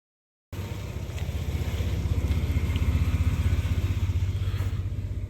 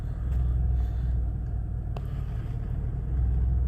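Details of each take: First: 2004 Ford Explorer after the alternator was replaced with a Ford/Motorcraft reman unit, curing overcharging and now charging at 14.5 V: steady, even low idle with a smooth regular pulse and no knocks, ticks or whine; normal idle. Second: 2004 Ford Explorer, battery light constantly on after PCM swap and three alternators, idling with electrical loads on, voltage swinging 13–16 V: low rumble swelling and sagging, slight misfire felt. Unsteady idle.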